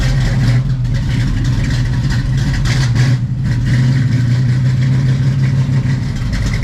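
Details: 1970 Chevrolet Camaro SS 350ci V8 with 2,200 miles, started after long storage and a new battery: deep, steady burble with a brief dip and quick recovery, firing smoothly and evenly with no knocks or misses; engine running healthy.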